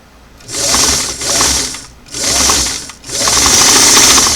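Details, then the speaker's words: Singer sewing machine (338) on restored clam-shell foot pedal with four carbons removed, before adjusting mounting and shorting clip screws: high whirring motor bursts cut in hard and drop out, nothing then too much, no gentle slow speeds; pedal speed control too abrupt. "back to the old common problem right nothing nothing nothing and then too much okay but I can show you how to adjust that I hope so"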